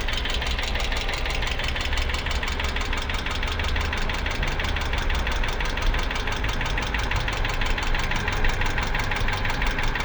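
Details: 2008 Hyundai Accent engine at idle: a sharp, fast metallic tapping rides steadily over the idle the whole time, an internal engine knock whose cause is not confirmed.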